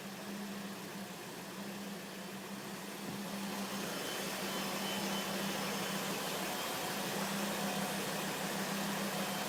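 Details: 2005 Volvo S40 T5 with blinking MIL; steady, fairly low whine at even pitch over the running engine, cause unclear; engine whine.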